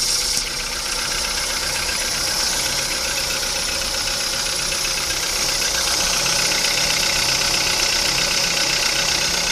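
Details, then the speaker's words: VW Polo Sedan on Lukoil Genesis Armortech 5W-40, 5,000 km on this oil, started after two days parked. A bright, fast whirring tick at idle, about four per second, over a quiet engine. Owner suspects the belt rollers; unconfirmed. "Да, скорее всего ролики шумят."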